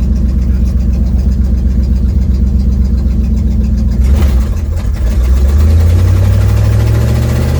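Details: 1972 Ford Mustang driving home, phone mounted in the dash, leak not yet fixed: deep, coarse engine rumble with raspy puffing rising as revs climb after a brief shift dip. Exhaust leak.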